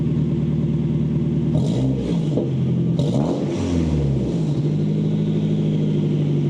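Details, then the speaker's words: Nissan S15 Silvia Spec R turbo after fitting a Vibrant Ultra Quiet Resonator to fix drone, revved: deep, even exhaust note with a faint turbo whistle and no booming drone; normal exhaust. "Oh yeah. Oh wow, I got rid of all the turbo. Hear a little slight turbo. Yeah, but you don't hear the... Remember? You got the resonant and all that."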